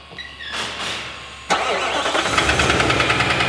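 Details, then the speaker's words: 2018 Nissan NV 3500 van, about 60,000 miles, neglected oil changes and sludged engine: after cranking it catches and a sharp regular knock of about three a second rides over the idle, sounds like a rod about ready to go. "okay everybody knows what that sounds like and it ain't good sounds like we got a rod about ready to go"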